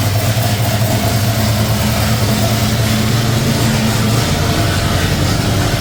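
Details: C30 truck engine with ignition parts swapped in from another truck, running on fuel poured into the carburetor bowls: a steady, even, low V8 rumble at a settled idle with no misses or knocks. It runs smoothly.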